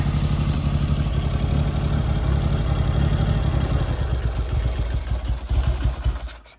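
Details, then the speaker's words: Triumph Hurricane X75 triple after a third-party restoration: a lumpy, uneven tick-over. The right-hand cylinder runs light; unbalanced carb slides are suspected. "it is a bit rough on tick over not the worst I've ever encountered and uh it's certainly light on the right hand pot so that would seem to indicate that uh carb slides aren't balanced"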